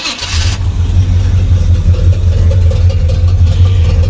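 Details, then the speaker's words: Camaro with a newly fitted Edelbrock carburetor on a base tune: catches quickly and settles into a deep, even rumble at about 700 rpm with no misses; healthy idle. "So, it should bolt up and fire up uh to get this thing to idle at about 700. I think that's where she's at. Should start with no fuel."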